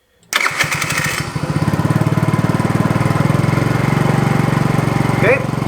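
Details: 50cc GY6 scooter with many miles, just fitted with a new performance ignition kit (CDI box, coil, plug wire, three-electrode spark plug): after a brief crank the single fires and holds an even, fast chuffing beat of about four pulses a second; runs normally.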